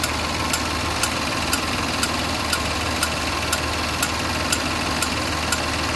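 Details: Land Rover LR4 / Discovery 4 3.0 supercharged V6 petrol, 127,274 km, code P0483 fan performance: sharp ticks twice a second over a smooth idle; owner suspects failed fan clutch, engine also sounds diesel-like.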